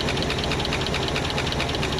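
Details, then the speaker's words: IH 4x4 Loadstar, an old fire truck, running on fuel poured in by hand after the choke is taken off: steady, even beat with a light regular tick and no misses; no fuel coming through the fuel pump; normal running. "Not getting anything through the fuel pump though. I think it sounds really good."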